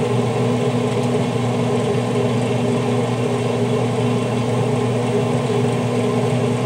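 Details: Traeger grill after hot rod igniter replacement, running on smoke: constant low motor hum with steady fan whoosh, no knocks, squeals or surging; grill running normally.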